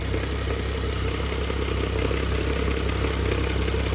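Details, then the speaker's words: Single-mass flywheel gear rattle at idle on an N55 BMW F10 just fitted with an MFactory lightweight single-mass flywheel and 550 clutch; faint intermittent light rattle under steady low idle, in neutral around 700 rpm, engine not fully warm. "so you can hear the rattle to be honest it's rather intermittent and from what i understand it's only when it's in neutral and around 700 rpms or so maybe"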